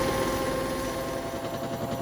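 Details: Hotpoint WMXTF942P washing machine back at full spin after its dry dampers were greased; steady even roar with no banging or violent thumping, a lot smoother and less vibration than before. Smooth spin cycle.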